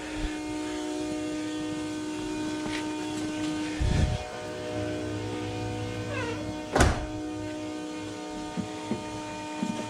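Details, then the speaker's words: 1971 Chevy Nova LS swap: constant low hum and faint steady whine from the electric fuel pump, run continuously on maxed-out prime to drain the fuel tank before the Tanks Inc. tank swap; occasional handling thunks. "All right. Fuel pump prime. Max it out. Here we go."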